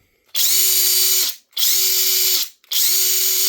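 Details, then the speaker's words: Flex 1/2-inch compact cordless impact wrench in high mode, free-running in three short bursts: a clean, even whine without the loud grinding bearing noise of the faulty FX1472 high-torque unit. "does not make that noise at all."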